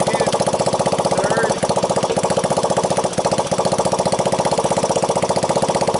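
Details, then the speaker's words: 1985 Honda ATC 200X junkyard three-wheeler after a cold start on starting fluid, camera on the tire. Steady, even single-cylinder pop at around 230 beats a minute with no valve tick, timing chain rattle or bottom-end knock. Normal idle. "Sounds good, no valve noise, no timing chain noise, no pump bumps in the bottom. No bad sounds."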